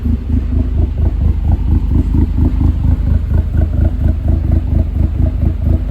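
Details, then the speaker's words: 2008 Dodge Caliber SRT4, abused project car, idling: lumpy uneven idle with a low throb and faint clatter about twice a second, no sharp knock. Owner hears a noise but can't tell if it's a bearing. "It doesn't sound great, but it doesn't sound like it's [Music] knocking. There's definitely a noise though."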